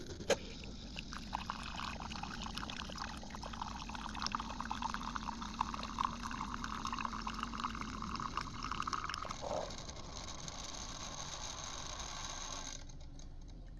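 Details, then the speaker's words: Keurig K-Mini Go that had high-pitched whining and no power, after control board replacement: steady pump hum with water trickling into cup about nine seconds, then clean stop; normal brew cycle. "So, with this test, we proved that the unit functions with no restrictions. Now let's see if we can get the same result making an actual cup of coffee."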